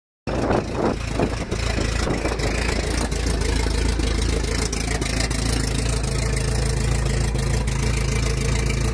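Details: 1981 Toyota TE72 Corolla with a Nissan KA24DE swap (high-compression SOHC pistons, open downpipe) has a rough petrol idle with a deep, hard knock about three times a second: rod knock.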